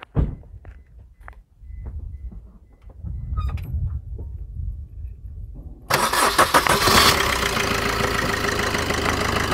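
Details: Maruti Vitara Brezza diesel after EGR valve cleaning, no leaks found: some clatter then catches at once into even, steady idle, no extra knocks or rattles; smoother than before, normal.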